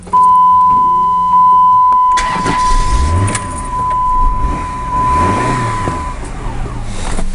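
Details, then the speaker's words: 2003 Chrysler Voyager 2.4 after an intake install: it cranks, catches briefly and dies within seconds; the throttle body sensor and possibly the MAP sensor were left unplugged. "okay now it's not staying started what's the problem here"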